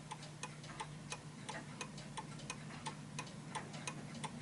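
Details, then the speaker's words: Vintage British Bentima/Perivale Art Deco 8-day Westminster mantel clock, pendulum adjusted to suit the surface: crisp, evenly spaced tick-tock at about 87 beats a minute; clock in beat and running properly. "so listen to this that's a perfect tick so it's tick tocking perfectly"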